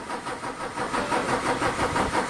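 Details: Volvo D13 diesel taking a long time to crank and not starting, often in the mornings: long, steady starter cranking with uneven firing pulses that never catch; after several tests, bad injectors were found to be the cause.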